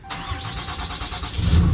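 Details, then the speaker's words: Totaled salvage Cummins diesel Ram 3500, first start after rewiring, key primed first, hot day over 100°F: quick starter whirr, then catches and settles into a low steady rumble; clean healthy start. "look at that it's running wow she runs freaking runs y'all the truck's running"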